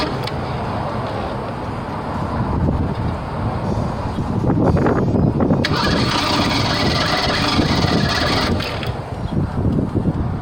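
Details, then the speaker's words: 1987 Ford Bronco II 2.9 petrol engine after distributor work: long uneven cranking with ragged, half-firing chugs that struggle to pick up; flooded with fuel-wet spark plugs, slow to catch. "so it's crying but because the sparklers are so wet they're hard to start"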